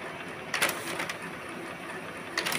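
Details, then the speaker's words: HP LaserJet Pro M401dn manual-tray pickup after repair, with the paper sensor flag re-stuck: two short gear-and-roller ratcheting bursts about two seconds apart, a pick-and-retry rhythm; pickup feeding properly. "Đó, nó quấn cái đầu không được, bắt buộc nó phải quấn lại cái lần hai. Và lần hai không được, nó phải quấn lần ba."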